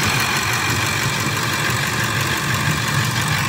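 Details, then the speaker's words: 2004 Ford F-150 5.4 V8 with shaking and misfire codes including P1131: rough, lumpy idle with skipping rhythm; cylinder three picked up but cylinder four still misfiring at idle. "mira ahí levantó el tres muchachos sigue fallando el cuatro"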